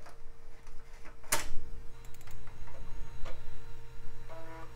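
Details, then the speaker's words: Early-mid 2000s desktop PC floppy drive under test: quick bursts of ticking and buzzy stepping as the head seeks, then a short chattering run; drive works normally and is noisy. "and it works and it's delightfully noisy that is music to my ears"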